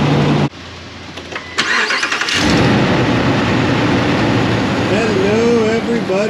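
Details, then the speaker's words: 2016 Ram 1500 5.7 L V8, customer reports exhaust noise on startup: engine cranks and settles into cold idle with a light, quick "whiskey rattle" ticky-tick from an exhaust manifold leak. "customer States exhaust noise on Startup and we heard like a whiskey rattle Ticky tick tick noise uh which uh primarily sounded like it was co"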